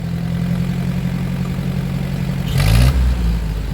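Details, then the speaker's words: 1947 Ford 8N tractor after adjustment, which cured earlier choking and coughing on revving: low steady idle rising cleanly when revved, no cough or stumble; normal acceleration. "I don't know how much of that you can hear but it does sound like I got the pickup so yeah who knows"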